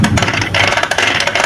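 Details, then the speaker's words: Vespa PX 150 engine rebuild, gear jumping out of fourth and hard kick-starting, gears turned by hand after fitting new kick-start gear: uneven scraping rattle in bursts; part misseated, wearing kick-start gear. "Berarti ini ada problem ya, Teman-teman ya. Nah, kedengaran kan ini bermasalah di tempatnya."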